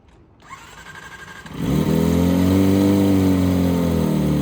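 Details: Engine catches and settles into a loud, deep, rapid throb of about four beats a second; the exhaust silencer is worn and no longer muffles it, so it needs replacement.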